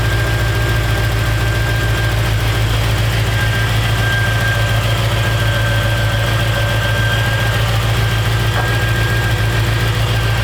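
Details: 1956 Chevrolet Bel Air Nomad resto-mod with fuel-injected 350 V8 and 700R4: steady, even low rumble with a smooth idle beat and no knocks or misses. Idling cleanly.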